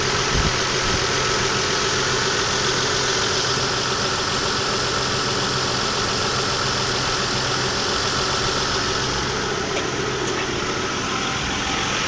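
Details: Next-day idle: faint, light ticking of about three to four per second over the engine hum, much quieter than the day before; only a slight tick remains.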